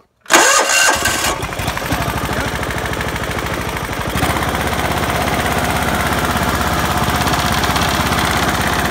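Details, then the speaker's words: John Deere LX172 lawn tractor after fitting a new PTO switch and reconnecting the factory ignition: it cranks briefly, then catches into a steady, even single-cylinder idle with no misses; it starts and runs fine. "guess it's fixed huh guys"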